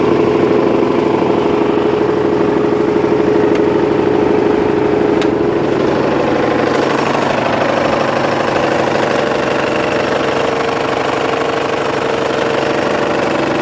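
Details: Mitsubishi 4D56 diesel at idle: repeating hard knock about three per second riding on firing, owner locates it near cylinder 4; appeared suddenly overnight after normal shutdown, cause unknown.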